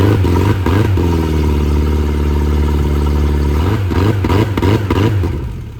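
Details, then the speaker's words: VIP Bay Stealth 1880 boat motor that blew on a test drive, water entering the block: deep drone surging and stumbling when revved; a piston not working, previously wouldn't exceed 1,000 rpm or plane. "But you would think it sounds normal and that it sounds healthy, but that piston does not work good at all."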